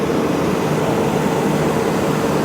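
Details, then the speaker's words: John Deere dozer cooling fan reversing on its own, as it always does at startup or just before shutdown, after a water leak was fixed; steady loud rush of air with a faint even tone over the engine; normal fan reversal. "I don't know why that fan does that it reverses by itself seems like when you first start it up or right before you shut it off it always revers"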